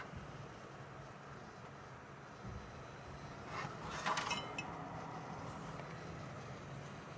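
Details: Cooler Master G700 power supply with a steady low electrical buzz, plus a brief clink of glass or metal midway.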